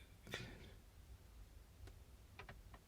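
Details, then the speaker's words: 2011 Audi A3 with driver's window not working, window motor actuated by scan tool: several light crisp clicks in a quiet cabin, relay answering each time; normal window relay click. "hear it click. Oh yes, that's working."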